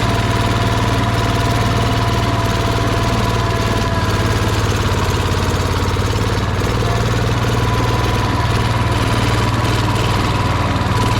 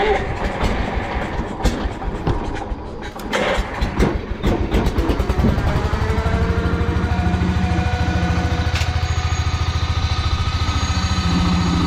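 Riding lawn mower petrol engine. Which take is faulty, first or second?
first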